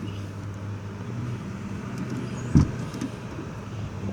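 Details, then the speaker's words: 2007 PT Cruiser, rear hatch being lifted after some WD-40: single sharp pop over low rumble as it hangs up, from a binding lift strut on one side that looks rusty or leaking while the other side is fine. "if it will do it but you can hear it popping but I've actually loosened this up quite a bit and I've seen this on seven a several of these PT Cruisers where these these shocks back here for whatever reason the one on this side is fine but the one over here is like it's like rusty or it's like leakin whatever out of the"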